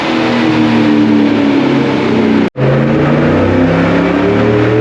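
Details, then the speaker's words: 2017 Cadillac Escalade 6.2 LT V8 with BTR cam, DOD delete and Corsa exhaust, first startup and startup tune, warming oil: revs up and down cleanly with lopey cam note through loud exhaust; healthy normal revving. "She sounds real good. Corsa sure does make a nice exhaust system. I can't wait to hear it on the dyno."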